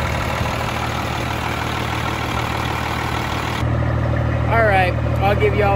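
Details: Freightliner FLD120 with Cummins M11 diesel after replacing the old-style fuel water separator, fitting clear fuel lines and fixing an air leak (no more bubbles); settles into an even, steady idle without stumbling or hunting, revs cleanly; running healthy.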